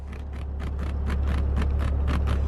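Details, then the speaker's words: 3-year-old Maserati Ghibli S driver seat: sharp squeaky ticks about four times a second over a low steady cabin drone as the car moves; seat rattle returned after an earlier temporary fix, seat cover replacement under warranty considered. "now if you guys remember a few videos on my car ago we had a seat rattle it was very bad very squeaky"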